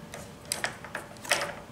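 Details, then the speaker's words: OS FS-40 Surpass four-stroke model engine, turned by hand warm just after running: uneven, gritty clicking and rough feel indicating bad crankshaft bearings. "but many times you can just feel and just hear that there's bad bearings"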